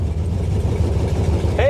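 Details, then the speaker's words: 1968 Camaro sitting since 1999, after cleaning up the connections: the V8 fires right up on a small fuel charge in the carb bowl into a deep, steady rumble with no stumble or knock, sounding healthy. "oh yeah whoa it just fired right up oh my word the dog's foaming at the phil"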